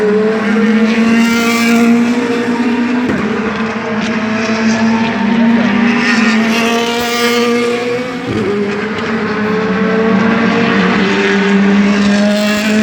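Loud V8 running with an uneven, stumbling beat and occasional sharp dropouts in the note, consistent with a misfire.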